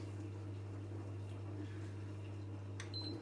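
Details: Zanussi/Electrolux washing machine (IZ/XC range) in service mode, empty drum, jet system and heater test, water about 15–16 °C: low, steady pump hum, no rattles or grinding, then short beep; pump working normally.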